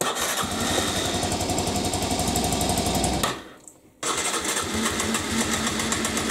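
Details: 1998 Aprilia Leonardo 125 scooter, sat outside long, new battery, carburettor cleaned: first start gives a fast steady single-cylinder pulse, a brief cut-out, then it picks straight back up. Normal running.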